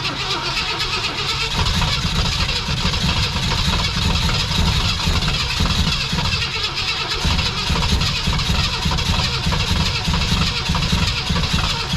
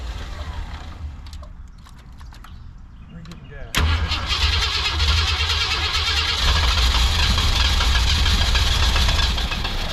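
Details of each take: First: 1965 Lincoln Continental that sat for years, new gas tank, spark confirmed, two-stroke poured in: starter churns steadily about twelve seconds without catching, crank no start from lack of fuel before timing was advanced. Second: 1965 Lincoln Continental after carburetor idle adjustments, coil hotwired, a bit cold-natured: it catches and settles into a steady, even idle with no misses and no more of the earlier blow-by. Normal idle.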